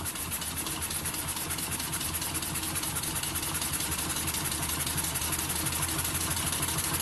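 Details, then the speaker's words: Home-built double-acting model steam engine on compressed air, pressure turned up slightly: light fast even chuffing around three beats a second, revs picking up, unlaboured. Running smoothly with little vibration; normal running. "I like these when they're just ticking over, just purring away. Pretty smooth, not much vibration."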